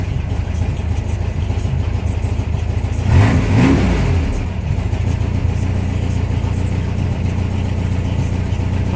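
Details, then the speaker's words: 1972 VW Beetle after a cold start at 44°F, new heater pipes fitted, choke now open and engine warmed up: a steady low idle, then one clean rev that rises and settles smoothly; normal warm engine revving. "Alright, that was the choke opening on up. Yeah, see, warmed up."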